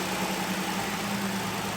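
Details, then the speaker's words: 2011 Ford Explorer after replacing ~300,000 km spark plugs and PCV valve for cylinder 5 misfire code: starts with no hesitation, smooth steady idle, no stumble or knock. "soon as this started there was no hesitation whatsoever [Music] that must be a good sign"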